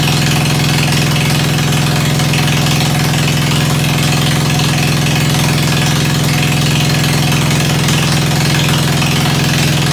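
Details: Ford 100 tractor after tune-up and straight pipe fitted, started with starter ether around 40°F outside: deep, even idle with a steady low thrum, no misses or knocks; sounds beautiful, running smoothly.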